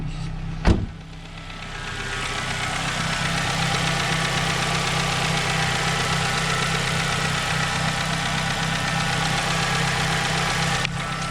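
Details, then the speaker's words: High-mileage daily-driver car, quick test after adding a treatment product: steady idle with light, quick ticking about four a second, still audible, no change; sounds like valvetrain or lifter tapping, cause not confirmed. "Not really. I could totally hear it still. That's not what I want to hear, but we'll let it run for a while."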